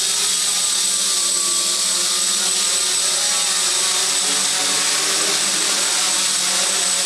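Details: Quadcopter with Aeolian motors in flight: hissy motor drone with a thin, steady high-pitched whine; rudder needed overcompensation, and worn motor bearings are suspected.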